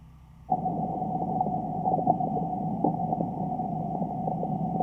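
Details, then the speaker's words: Underground pressurized water service line leak in a front yard, where tracer gas reads 0.1–0.15%, reflecting about 3/4 gallon per minute loss. A ground pickup hears a steady hiss with faint ringing and irregular bubbling, spitting and sputtering. "So the next step is to listen in this area and see if you can hear that bubbling, spitting, sputtering sound."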